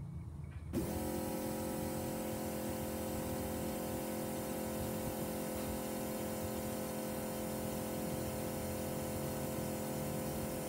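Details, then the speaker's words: MK3 Toyota Supra 7M-GTE after a fuel cell install, priming the system. The pump kicks on and settles into a steady, even hum with a faint whir, much quieter than the clogged Walbro in the old tank: normal priming. "Okay, as you can hear, the fuel pump's running. Way more quieter than that wall barrel that I had clogged in my old tank. This is exactly what we want."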